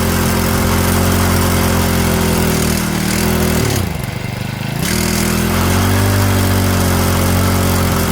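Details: Stihl FS65-4 four-stroke strimmer after repair from oil overfill, warmed up: steady fast idle, drops and recovers cleanly on throttle blip, even beat, no obvious knock; steaming, exhaust to be checked clear.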